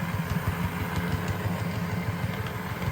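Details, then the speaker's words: $20 Bachmann DCC Chessie model locomotive running on layout: soft motor hum with light clicking about three times a second from four flat-spotted wheels/axles; otherwise working, replacement wheelsets wanted. "okay I can hear a flat spot which is to be expected with four actually eight flat spots on Wheels however it's working"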